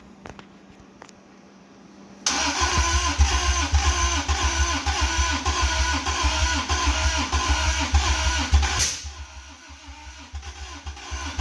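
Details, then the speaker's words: 1985 Toyota MR2, 4A-GE 16v, long-stored, jumper-wire start after an earlier bang and smoke: faint cranking, then an uneven pulsing run for several seconds that dies away. Fires briefly then stalls; owner suspects timing is out. "dang yeah it's just about to start bogo"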